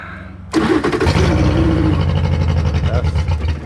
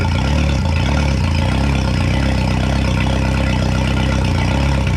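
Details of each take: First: 2011 Yamaha T50 outboard, run without water, before repair: catches then runs rough and lumpy, stumbling firing beat; running rich. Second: 2011 Yamaha T50 outboard after replacing fuel line, bulb, thermostats, spark plugs and low-pressure fuel pump (previously rough, dying): steady even low thrum, smooth idle, no misses; not as smooth as hoped but much better.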